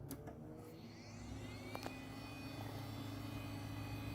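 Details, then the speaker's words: Early-to-mid-2000s Medtech Pentium 4 thrift-store computer: faint steady low whir at constant pitch with light ticks in a quiet room, attributed to dry fan bearings, though the computer still works. "you know there's uh dry bearings but uh so far the computer still works"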